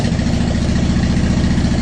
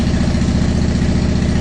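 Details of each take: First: 2010 Honda Shadow Phantom, first start after cleaning the fuel tank and fuel pump and refilling with ethanol-free fuel plus additive: catches and runs unevenly with two sags, lumpy and hesitant; owner suspects air in the fuel system and it still needs to warm up. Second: 2010 Honda Shadow Phantom after the fuel pump refit, with ethanol-free fuel plus B12 Chemtool. Steady, even, low-pitched idle with no misses, and it revs better. Normal idle.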